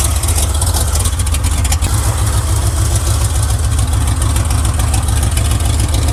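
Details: 1979 Chevy, hot engine, spark on cylinder three compared with test light and looking about the same, plugs thought okay: low, lumpy idle with uneven thump about three times a second; misfire, owner suspects distributor, not confirmed.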